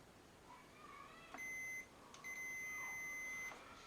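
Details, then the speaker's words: Hitachi radio cassette repair: multimeter on continuity across a PCB track that looks broken; two clear high beeps, one short, one held about a second; trace intact, not broken. "If we get the meter, turn that on, just leave it there, put continuity, just so you can, because I know you all like to hear the bleep."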